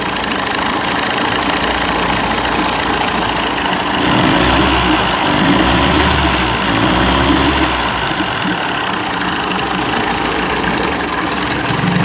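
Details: 1990s 30 hp Evinrude outboard after carburetor rebuild for stalling and rough idle: steady buzzing idle, even beat, no misses; running better, though carburetor gasket leaks fuel and needs replacing.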